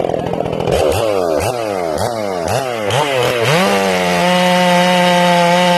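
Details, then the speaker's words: Ported Stihl MS461, break-in, carb a little rich, limited coil: cutting with the bar eased up, the pitch drops and surges about twice a second under load before settling to a steady scream. This is rich four-stroking. "What I'm going to do in this cut, I'm going to hit the wood. Okay, you'll hear it 4-stroking."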